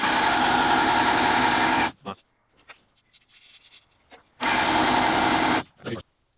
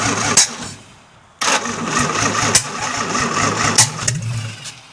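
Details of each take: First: 1952 International L130 truck engine after years sitting, vacuum wiper line plugged: three cranking bursts of steady starter churn without a single fire; crank no start, no spark at plugs traced back to the distributor points. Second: 1952 International L130 rat rod, stock engine after years sitting, points sanded, stuck-open throttle fixed, no exhaust: fires and settles into a loud rough-edged idle running steadily on its own; compression test still pending.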